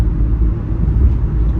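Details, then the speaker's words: Sprinter van after both ball joints were replaced, driving: a deep, steady road rumble with no pops or clicks; the earlier popping is gone and the front end rides smooth and quiet. "Like I said, I don't hear the popping at all. She's riding smoothly."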